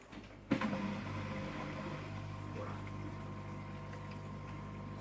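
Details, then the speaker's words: Aquarium external canister filter after replacing the broken impeller rod: a click at start, then a soft steady low hum with no rattle or grinding, measured at about 55 dB. "almost blissful silence that's so much better"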